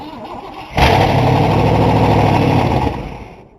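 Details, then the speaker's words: 1960 Cadillac after brake work and a new ignition key, fuel squirted in to prime it: cranks, catches abruptly, runs roughly about two seconds, then sags and dies, living on primer until the fuel pump draws fuel. "did you pull it back with your foot or did it just die all right try it again all right we got to prime it a little more"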